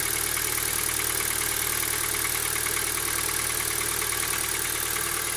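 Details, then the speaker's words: 2017 Kia Ceed, 27,494 km, about 3 years old, under warranty, warm idle, hood open: quiet engine with light metallic tap about twice a second from one area of the engine; persists warm, cause unknown. "Если слышите металлический стук, где-то в этой части двигателя,"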